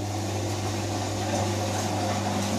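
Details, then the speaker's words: Electra 17054E (rebranded Hotpoint, probably late 1990s) washing machine that trips the RCD on non-fast washes, set to spin to drain before heater element replacement: steady low even hum, no knocking or grinding; normal drain pump operation. "drain the machine you can see it's working again fine"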